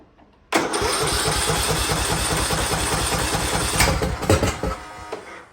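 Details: Free Ariens riding lawnmower, sat at least two years, fuel topped up and carb sprayed: cranks, catches, runs about four seconds, then stumbles and cuts out; dies when clutch/parking brake released, interlock as transmission not in neutral, though belt disconnected.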